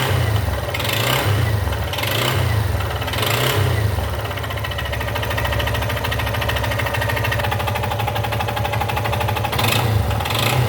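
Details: Yamaha XTZ Lander 250, 2020/21, 34,000 km: single-cylinder thumping that swells and eases with throttle, with an odd extra engine noise riding on the revs; cause not pinned down.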